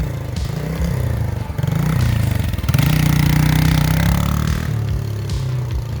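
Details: Vintage 1980 Yamaha SR250 single-cylinder motorcycle, bike pulled out of a shed and bump-started: the thump rises and falls with throttle and picks up cleanly with no knock or clatter. It runs.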